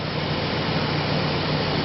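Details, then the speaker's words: Refrigerator that stopped cooling: condenser fan motor spins with a steady airy whir and low hum, but the compressor is not kicking in; an occasional click is heard; owner unsure whether the thermostat is at fault. "but my compressor a big black bubble compressor thing you know looks like a propane tank a little bitty guy looks like a little propane tank with copper tubes coming out of me he's in here and this little fan here there's the motor for it it's spinning"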